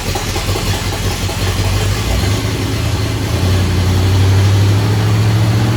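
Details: "Bear" 9C1 V8 first run with only Y-pipe, no exhaust: loud, high, lumpy idle with heavy uneven rumble; owner attributes high idle to uncapped vacuum lines and plans carburetor tweak.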